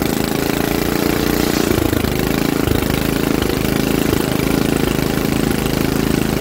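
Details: Troy-Bilt rear-tine rototiller engine after magneto cleaning restored missing spark and carburetor cleaning, choked and carb adjustments made: single-cylinder settles into a steady, even putter with no misses or knocks; running properly.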